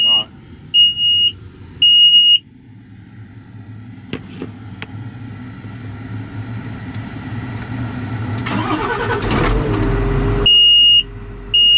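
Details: John Deere 544J loader with stop-engine alarm: steady high-pitched beeps, then the diesel cranks and fires; alarm continues after start, pointing to an active code.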